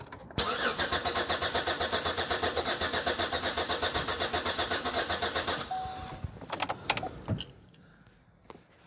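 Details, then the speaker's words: 2008 Chevrolet Equinox 3.4 L V6 with P0300 and cylinder 4 misfire, cranked with accelerator floored: starter beat about four per second with one beat lighter, indicating low compression on one cylinder; injector and ignition already ruled out by swaps. "If you can hear that, guys, there's a drop in compression on one of the cylinders. It's not clean."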